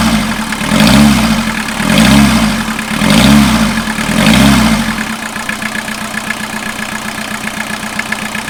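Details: 1989 VW Jetta mk2 diesel, 5-speed, about 118,000 miles, revived after sitting about 14 years, on new fuel and a new battery: four slow even rev swells, then a steady idle clatter with no misses; running healthily.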